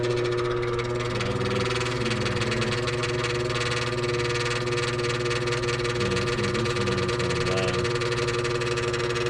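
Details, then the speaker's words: Furnace heater not turning on: a steady, high, unbroken squeal rides over the running hum from the failing draft inducer motor, which needs replacing. "that's a squealing noise they said they were hearing and uh we need to replace that inducer motor"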